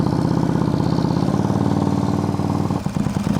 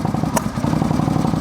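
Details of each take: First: Auction motorcycle after a vacuum leak was found and new spark plugs fitted; it now idles steadily with an even low putter and no spitting or sputtering. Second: that's a vacuum leak uh-huh look now it's idling right not spitting and sputtering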